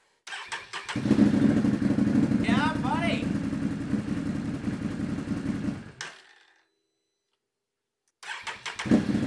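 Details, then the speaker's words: Can-Am Renegade 1000 ATV that kept blowing the ignition fuse, after replacing the starter solenoid/relay: cranks, catches quickly and runs with a steady even pulse and throttle blips, stops and refires cleanly; normal start and rev. "I don't know if you can tell but I'm super stoked I got everything hooked up and it fired right up"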